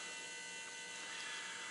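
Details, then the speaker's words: Truck (Big Blue) after an oil and fuel filter change, key on with the engine off: faint steady electric whir with a thin high whine as the fuel pump primes the new fuel filter. Normal priming. "just turn the key on let it sit on for a little bit that's about 3/4 full a little closer to 1/2 maybe he'll sit there and do this so you can hear it running"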